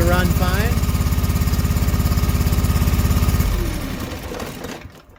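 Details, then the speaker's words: John Deere 445 twin-cylinder engine with an ignition coil misfire: it chugs unevenly at a low thumping pace, then dies away when run on one coil alone; swapping connections between sides gave the same problem, pointing to that coil as bad. "disconnect the left connect to right same problem so pretty confident this is the bad coil"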